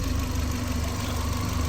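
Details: Manual-swapped VW Mk4 at idle on a very cold night: steady low thrum with an even pulse, no knocks, ticks or hunting; vacuum about 18–20, healthy.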